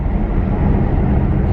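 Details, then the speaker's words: BMW F80 M3 with Active Autowerke resonated equal-length mid pipe and ARM downpipes, one valve permanently open: deep smooth low drone cruising around town at light load, no music or AC, no raspy buzz; rasp at 2k gone. "just cruising around town right now no music no ac i just want to listen to the exhaust"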